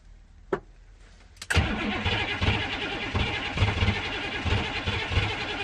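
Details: 1985 M1008 with 6.2 V8 Detroit diesel, first start after a week sitting under snow: clicks, crank and catch, then an uneven lumpy idle with irregular heavy pulses, rough running just after the cold start.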